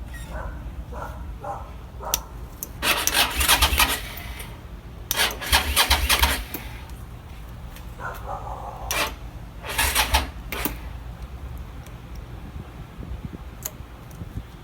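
Several short bursts of brisk cranking with pauses between, and the engine never catches once; a crank-no-start.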